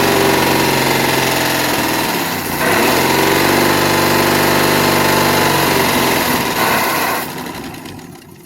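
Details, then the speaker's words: 1961 Studebaker Lark V8 after carb cleaning and timing adjustment, accelerator pump now working: rough uneven idle with a fast light tick-tick, about four per second, rising and falling with revs; suspected not running on all 8 cylinders. "Well, has a little noise in it. Wonder what that noise is. Tick-a-tick-tock ticking."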